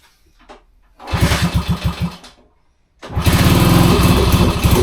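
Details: 1966 Honda C200, off the road since 1972, on full choke: small single popping unevenly about 3.5 beats a second, stumbling and cutting out between throttle blips; runs rough, fuel possibly not getting through.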